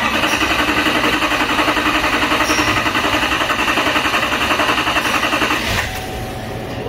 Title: 2018 GMC SIERRA K2500 HD 6.6L (L5P), CRANK-NO START-FUEL CONTAMINATION